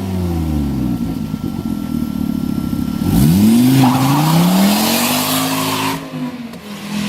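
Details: Volvo S40 T5, 2.5 L turbo inline-5, under hard revs and pulls: a loud, raw, blatting exhaust note over tire noise. Massive exhaust leak at the flex pipe bolted to the turbo, gas escaping out the side of the flex pipe, sounding like catless turbo exhaust.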